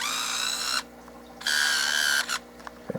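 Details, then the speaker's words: Nikon One Touch Zoom 70AF 35mm film camera, sensitive to battery voltage: short bursts of a high even motor whine starting and stopping cleanly while zooming and firing the flash; zoom drive working normally. "ici je déclenche toujours le flash nous allons même zoomer encore plus vite ils entendent"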